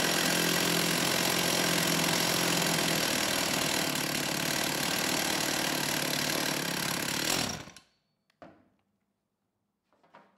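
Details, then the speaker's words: STIHL 028 AV Super chainsaw, straight-gassed, then rebuilt with non-OEM parts, during low-speed needle adjustment: a raspy, unsteady two-stroke buzz sags and dies, and it won't hold idle. Adjusting the low-speed jet made little difference; the cause is suspected, not confirmed. "I want to focus in on this one it's not running well"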